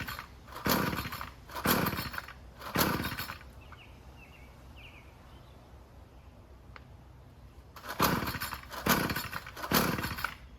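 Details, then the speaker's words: String trimmer (weed whacker) on first start attempts outdoors, choke position unknown: repeated pull-starts, each firing with a brief sputter then dying. The carburetor is empty and the owner suspects it is flooded. "carburetor is empty. So, I might be flooded."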